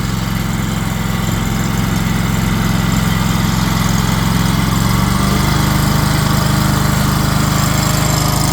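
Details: Wacker RD27 mini roller, first start of a new Predator 670cc replacement engine fitted after the old engine locked up. Steady, even low single-cylinder thump, settling slightly higher after five seconds. Clean, smooth idle.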